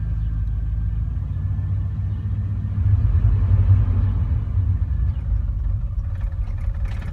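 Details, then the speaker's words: 1989 Chevrolet Silverado, fully warmed up: a deep, uneven rumble under very light throttle that shakes the whole truck and wants to stall, fine at higher rpm; cause of the stumble unknown. "Shaking the whole truck. Can anyone tell me what this could be? But if I rev it at a higher RPM, it's fine. It's just at that certain point, just barely giving it gas."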